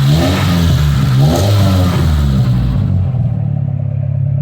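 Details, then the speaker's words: Honda Civic with Hiest body kit, stock headers and muffler: deep smooth exhaust note swells with each throttle blip and falls back cleanly, no knocks or rattles; runs fine, no issues. "Starts up, runs fine. Idle drops down like it's supposed to. No issues, no problems."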